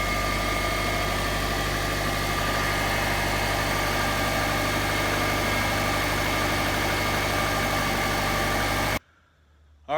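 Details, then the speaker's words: 2005 Saab 9-2X Aero, rebuilt engine after timing belt broke and damaged driver-side intake valves, reinstalled, couple sensors replaced: steady, even hum with smooth low pulse, no knocks or misses; healthy idle. "we got it roughly running and then this morning I replaced a couple sensors on it and Florida fired up so here we go"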